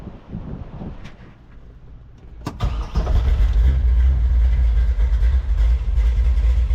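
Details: 1967 Camaro small-block Chevy with headers, start on fresh gas after sitting 34 years: quiet cranking, catches at about 2.5 seconds, then settles into a strong, even V8 rumble. It is a healthy start and idle.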